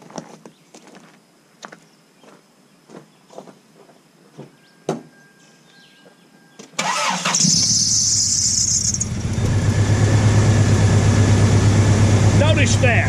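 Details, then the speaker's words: Toyota 4Runner whose ignition coil pack was weakened after battery reinstallation: fires after a few clicks and idles unevenly, hit-and-miss, sometimes smooth then missing badly with power loss; misfire, owner blames coil pack and plug wires, fix is replacing coil and wires. "sometimes it will run smooth and then sometimes like it's running now it's totally missing like crazy total power loss"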